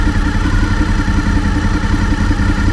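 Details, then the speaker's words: 5th-gen Honda VFR800Fi at idle after the idle screw was turned down from about 1500–1600 rpm toward 1400 rpm: lower-pitched, steady, even idle with a smooth beat and no knocks or misses. Normal idle. "notice how much lower the pitch is the tone of the engine it sounds like it's idling a lot slower"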